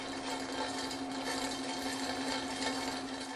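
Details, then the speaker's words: Centrifugal pump cavitating: dense crackling rattle like marbles over a steady hum, from bubbles forming and collapsing in the casing when fluid pressure at the suction eye drops too low and it boils. "this is an unmistakable sign of cavitation cavitation is the formation and subsequent collapse of bubbles inside the pump's casing during operation"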